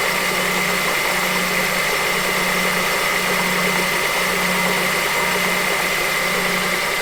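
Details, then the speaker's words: 2007 Honda CR-V at idle, earlier noise: steady idle with hissy top end and faint dull knock radiating up through the top of the engine, caused by a bad AC compressor clutch, fixed by replacing the clutch. "so as you can hear that was more of a knocking noise and I actually changed that air compressor clutch with one that I bought off of eBay"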